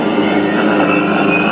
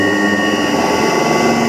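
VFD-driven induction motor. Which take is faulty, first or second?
second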